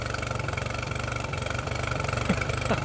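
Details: Mercury 9.9 outboard bought used, which had not run, back after 8-9 weeks of repair with parts from abroad; test run: quick, even beat with no misses or knocks; normal healthy idle.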